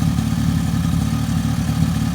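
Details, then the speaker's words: 2002 Suzuki LT-A50 two-stroke quad after top-end rebuild with Wiseco piston and carburetor adjustment, first start, idling for break-in: steady, even buzzing idle without stumbles or rattles; started on first pull and sounds healthy. "yeah it sounds healthy"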